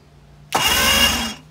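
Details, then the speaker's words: 2005 Mercury 115 two-stroke outboard, apparently winterized, cranked with spark plugs out and oil sprayed in cylinders: starter spins it about a second, fast even whir, no binding or clunks; turns freely, not seized. "Sounds good. Spins over nice, so that's a good thing."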